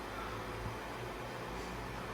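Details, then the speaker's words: Dell R720 server with NVIDIA P100 and P40 GPUs at idle, not yet training: even, steady fan rush with a low hum underneath, no surging or rattles; not silent but normal idle fan noise. "it it's not it's not silent but it's not so bad that it it's annoying"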